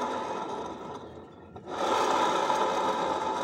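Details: Honda Beat scooter, rear wheel spun by hand (also noisy when pushed): dry, gritty whirring that fades briefly then returns louder; rough bearing noise, suspected rear pulley or other bearing, not confirmed.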